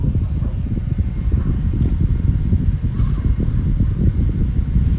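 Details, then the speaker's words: Opolar box fan: steady low whooshing hum, no ticks or rattles; running smoothly. "maybe you might hear the wind noise now the air is blowing like it's very powerful it actually doesn't have a lot of air"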